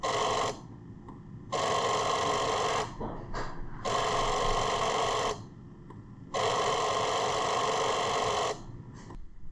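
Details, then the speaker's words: 2000 Jeep Grand Cherokee 4.0L, key on, engine off: loud harsh buzzing in one-to-two-second bursts from the ASD relay in the underhood fuse box; hard start, stalls unless throttle is given right away. "That right there is the ASD relay just giving her hell. Keys in the on position."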